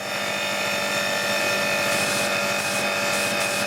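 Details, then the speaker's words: Annovi Reverberi pressure washer after freeing a jammed valve piston and fresh oil in motor and pump: steady motor drone with slight rhythmic pump pulse, no stalling or hunting, pressure building 600 to 1000 psi; normal running under load. "that's what you want to hear that's a bit of result in it 600 psi 600 psi there"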